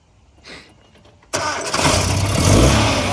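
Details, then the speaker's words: Restored 1969 Datsun 2000 roadster, 2.0 liter engine, cold (engine not hot to touch), started by the owner: brief crank, catches at once and settles into a steady even idle; clean healthy cold start. "All right. Starts right up."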